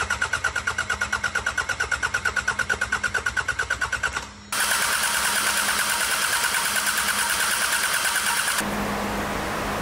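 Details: 34-year-old unused Sabb M4 diesel after lift pump replaced with electric one and injector pump rebuilt: even cranking about three beats a second, then fires and settles into steady regular run; normal start and run.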